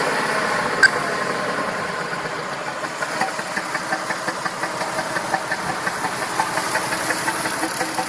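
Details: Massey Ferguson 2645 tractor, Perkins 6-cylinder diesel said rebuilt 100 hours ago, lacking power: loping uneven idle exhaust beat, some pulses weaker; suspected valve not closing properly, low compression in one or more cylinders, little blowby.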